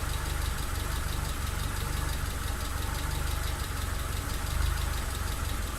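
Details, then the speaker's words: Mitsubishi Lancer EX turbo: lumpy, uneven idle with a stumbling beat, constant misfire; plugs, leads, coil, distributor cap and rotor, MAF replaced, ECU swapped, coolant and intake air temp sensors in spec, cause not found. "another thing is I still haven't finished the running issues it's still still running terribly and constant misfire"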